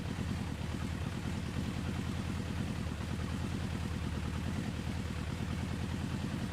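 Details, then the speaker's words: 1994 Suzuki GSX-R 1100 four-cylinder, stored for over 10 years, started in neutral. It catches and settles into a steady, even idle with a crisp exhaust pulse, running cleanly after long storage. "so we've got ignition on we are in neutral so that's okay she's running oh yes oh oh that's"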